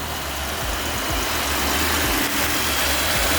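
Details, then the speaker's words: 2005 Mitsubishi Pajero that wouldn't start, first start after fitting a new battery to replace a dead one: steady even idle, low murmur under hiss, no misses or knocks; slight petrol smell noted; runs normally. "Hey, we did it. That sounds like a a Pajarro that started to me. I think it's good."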